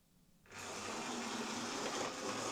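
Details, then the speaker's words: Old Hornby HST model locomotive test-run before service, new brushes and a wiring check. It sounds a bit rough, an uneven gritty whirr, and takes a bit of power to pull away. "There it goes. It's a wee bit rough sounding. It's taking a bit of power to make it pull away."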